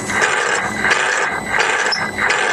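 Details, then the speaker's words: Truck VG turbo actuator driven by a homemade test controller: whirring sweeps about every 0.7 seconds, hanging up around 50–60% then jumping; sticking vanes, likely cause of surges. "because what's happening here is it's hanging up it's hanging up at about 50% who's about the upper end of where you want to run it anyways and then it just jumps and that's probably why you're getting surges"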